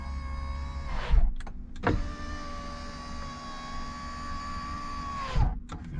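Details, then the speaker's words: Ferrari FF after changing to a lithium battery: an even, steady motor whine for about three and a half seconds, then a clean stop as the power window drops on door opening; normal operation. "make sure that they go down when you open the door okay that worked good make sure this one does the same okay good"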